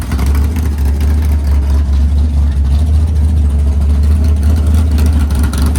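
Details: Freshly built 500ci big-block Mopar in a 1969 Barracuda, first start in the car: idle set down to near 1000 rpm, deep steady slight cam lope, no ticks or misses; normal healthy idle.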